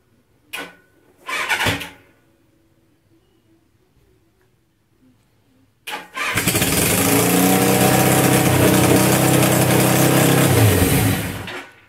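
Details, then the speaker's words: 1981 Suzuki GS850G after cleaning and gasket replacement, clutch zip-tied, some choke: cranking bursts then a fast steady high idle that won't settle; owner suspects idle adjustment needs setting. "it's running pretty high rpm which i imagine is because of that needing set on there"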